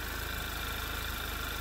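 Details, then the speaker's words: 2011 Audi TT Quattro 2.0T TFSI idling after replacing noisy vacuum pump and HPFP roller tappet; smooth steady idle with only a faint soft whine in background; much quieter, noise still faintly audible. "it's it's really i don't know in person it's it's very quiet i mean like i said you can still hear that noise but it's not very loud at all"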